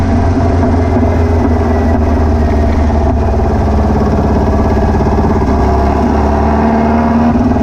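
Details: VW beach buggy, Prowler body, twin carburettors, after new plugs, leads and distributor arm: lumpy uneven running with stumbles, misfiring, popping under acceleration, owner suspects over-fuelling; later traced to a blocked idle jet in one carburettor.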